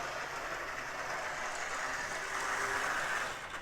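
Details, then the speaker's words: Lionel switcher, small motor, low speed on track: rough whiny growl over rail clatter, a known growler. "you can see at a low speed it kind of makes a lot of whiny noise"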